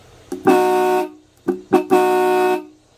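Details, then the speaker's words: 1940s Mopar Autolite HT4011 and HT4012 dual horns, bench-tested on 6 volts from a battery charger before installation. Two short, clear dual-tone blasts with both notes full and even; the horns work and the volume is decent. "Sounds really cool. Not really too bad on the volume."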